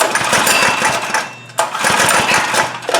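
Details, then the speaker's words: Trailmaster go-kart with Chinese Honda-clone engine, sat over a year, key on, cranked by pull start with and without the loose choke: quick chuffing compressions about three per second, never fires. Cranks but won't start; carburetor suspected, later cleaned. "All right. Well, it obviously doesn't do much of anything. So, I want to uh let's take off the air cleaner. See if we can put some starting fluid directly into the throat of the carburetor and see if it'll run for us."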